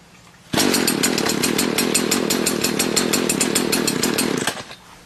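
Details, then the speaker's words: Stihl BG56/BG86 blower warm start with the control already in run position: it fires on the first rope pull and runs at a steady, buzzy two-stroke idle for about four seconds before shutting off. Normal, healthy start. "Now, for a warm start, all you have to do is pull the starter rope because it's already in the run position."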